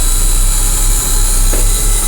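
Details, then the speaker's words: 1980 Ford F700/F7000 8.2L diesel crane truck, just started after sitting a year, with an air-brake low-pressure buzzer; a loud, steady roar with a hissy top end and no stumble, smoking a little; running normally. "smokes a little but then it hasn't been run for a year it just been sat all year not being used"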